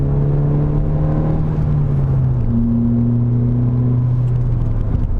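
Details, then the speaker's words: Normal turbo intake sound on a Ford Fiesta ST with stock airbox and filter: smooth, steady low drone with gentle tone shifts at low speed, no hiss, flutter or whoosh; a little turbo and bypass-valve sound is normal. "so on the fiesta with the stock box a little bit of sound is okay at low speed once you're moving the wind noise makes it harder to hear the sound"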